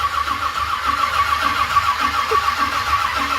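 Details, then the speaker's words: 1978 Ford Courier that has not run in a while: steady cranking churn, never firing. The carburetor is likely dry, with no fuel smelled and no accelerator squirt heard yet, so the cranking is probably refilling an empty carb. "yeah I still ain't here here fuel yet so we're probably filling up an empty carburetor right now"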